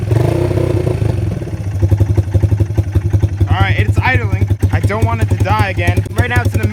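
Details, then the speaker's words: Yamaha Breeze 125 quad, first start in 5 years after carb cleaning, cold and on middle choke warming up: uneven thumping idle hunting and sagging as if about to die, then stalls; owner earlier suspected stuck float. "now it's in the middle choke position for it to warm up. Man, this thing sounds crazy. Sounds like it's about to die though."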